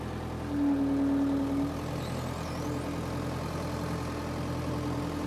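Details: Power Trac 1850 diesel tractor after fluid changes and fuel bleeding, mower deck attached: steady even low diesel drone holding speed under mower load, no knocks or misses; normal diesel running under load.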